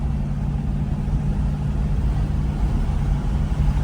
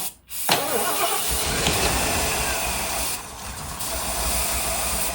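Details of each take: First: 1976 Ford Thunderbird big-block V8 cruising on the highway at 55 mph. Deep, steady rumble holding an even note with no knocks or rattles: normal cruising. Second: 1976 Ford Thunderbird big-block V8 (202 hp), long garage-stored, first start attempts kept alive by spraying starting fluid. It cranks and catches, runs rough with surges and pops back through the carburetor. The crew suspects ignition timing, possibly advanced; gas is in the filter.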